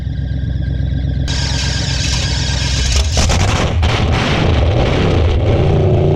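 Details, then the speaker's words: Old car revived after sitting, first fire-up: catches and revs with a full, even roar, no knocks or misses, running fine while burning off oil, Marvel Mystery Oil and PB put down the cylinders. "got her fire up last night i know y'all couldn't see it too good but she did fire up she's sounding good"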